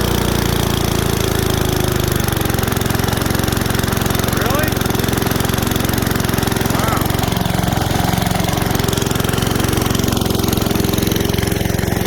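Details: 1978 Billy Goat Winro leaf blower with a 5 hp Briggs & Stratton points engine, found in the trash: a single cylinder buzzes fairly steadily with slight unevenness, no knock or clatter, then shuts off. Runs decently on very little oil.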